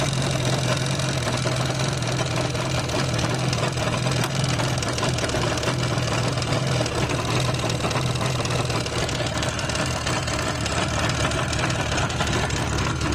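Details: Izh Jupiter 5 two-stroke motorcycle engine at steady idle, with a fast, tinny rattle riding over the exhaust note throughout; piston knock.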